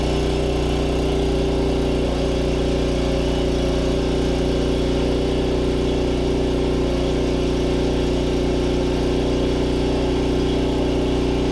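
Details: Snow blower single-cylinder engine newly fitted to a tiller in place of the noisy original, belt engaged, no air filter yet: steady even beat at constant speed, no knocks or misses; healthy.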